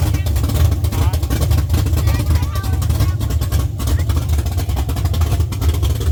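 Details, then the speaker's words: LS-swapped Chevy C10 on Holley Terminator X, first start after sitting 3 years: V8 burbles with a deep, steady, even pulse and picks up cleanly when revved; sounds healthy. "You revved up. Y'all sitting the pedal."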